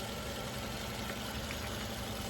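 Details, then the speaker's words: Toyota Camry, 120,000 miles, after repair of previous cutting off and shimmering: quiet, smooth idle with soft even hum, no knock, stumble or surging; normal idle. "This thing purring like a kitten. This is how a Camry's supposed to sound."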